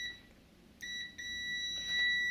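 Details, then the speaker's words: DAB Jet 102M pump station, single-phase 1130 W motor, not building pressure: quiet room, then a clean steady meter beep as the cleaned pressure-switch relay contacts are tested closed; continuity confirmed, no short to housing. "продзвонюємо в нас є ланцюг реле зараз в замкнутому стані показує опір"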